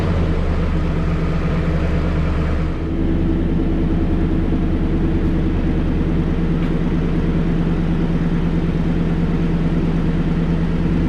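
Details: 2016 Toyota Tundra 5.7 iForce V8 at first start-up after installing a Corsa Performance stainless sport exhaust: deep, steady burble with even low rumble and no ticking or puffing; leak-free exhaust, normal idle.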